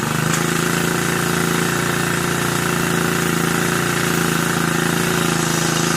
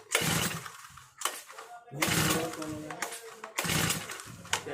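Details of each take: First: Brand-new Turbotech SD T35 4S four-stroke brush cutter after replacing a shorted ignition coil that caused a no-start: steady, even idle with a quick regular beat, no misses or stumbles; normal idle. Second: New four-stroke brush cutter with the choke lever up (choke on): three hard pulls on the starter rope, and the engine cranks but never fires or catches. It will not start on choke; next the choke lever is lowered and the top cover removed.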